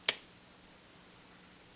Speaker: there's a second caulk at this position it's ready to fire but it's very easy to get it to this position